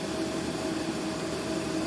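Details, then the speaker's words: 2006 Jeep Grand Cherokee 4.7, which had stalling and irregular idle mainly from a faulty TPS, restarted after stalling in the shop: a steady, even idle hum with a faint constant tone, idling fine. "and then of course just now it restarted and it's idling perfectly fine"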